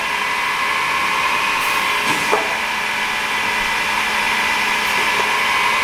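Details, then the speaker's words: Pistorius MN-200 double miter saw, 12-inch blade, wired 230 V 3-phase, foot-pedal actuated with dual pneumatic hold downs and counter; steady high whir with short air and clamp clicks as it cycles; smooth, no bearing issues or air leaks. "Smooth running machine, no bearing issues, no air leaks, dual pneumatic hold downs."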